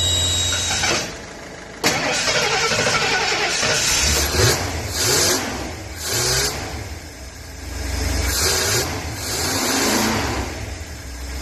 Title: Ford F250 squeal noise under the bonnet.